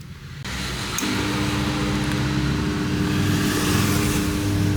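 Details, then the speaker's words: Whirlpool 8 kg dryer: start click then steady low hum with faint buzz; power reaches the compressor but it won't start and goes into protection, start capacitor failed and needs replacing. "there is power to the compressor but it doesn't start and therefore we know that when it makes this noise the compressor doesn't start the capacitor needs to be replaced"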